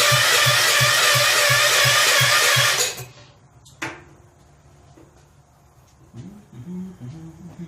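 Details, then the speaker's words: Rebuilt 10 hp Kohler K241 in a John Deere 210 garden tractor, first start with about three-quarters choke and gas poured down the carburetor: ragged popping for under three seconds then dies; owner later checks and sands the points. "okay it's like a little more yes down the carburetor I put about three quarters choke she fired"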